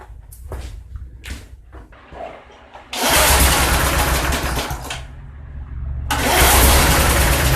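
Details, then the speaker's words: Sears 131.91280 push mower with a 1978 Briggs & Stratton 92908 3.5 hp points-ignition engine, barn-stored for years: it catches, surges and sags unevenly, needing choke to keep going. The carburetor is black inside. "well it's not going to run right without more attention it's going to have to be encouraged"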